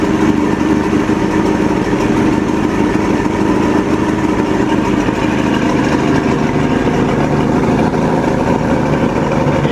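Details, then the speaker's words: Outboard motor on boat after screw repair of a leak: steady even idle, no misses or knocks, good water stream, some smoke, no leak from the fix; sounds healthy. "Thing sounds pretty good. It's hard to tell until we get on the water, but it sounds good. Sounds healthy."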